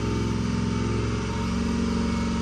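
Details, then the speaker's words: 2005 Ford F-250 6.0 Powerstroke idling with oil temperature rising toward about 190, where it becomes a crank-no-start hot, ICP dropping at idle: low rumble whose pitch slowly sags and lifts, idle speed hunting; IPR suspected, not confirmed. "she about to cut off here in a minute cuz it was like one I did this yesterday and I had something else come up and I didn't get to finish it yesterday but it was in the 190 range is when it turned into shutting off and being a crank no start hot"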